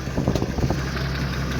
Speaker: That's that's a hammering lifter and or some lowerend noise.